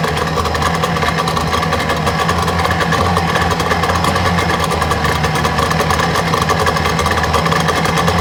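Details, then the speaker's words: 1962 Johnson 75 hp outboard with electromagnetic shift, warm: steady but lumpy rough idle with a faint stumble. Starboard reeds were burned and scored; the fuel pump was rebuilt, timing set, new plugs and coil fitted. Owner suspects new reeds would help. "i'm really thinking that the idol is is rough on this and uh i think new reads would help"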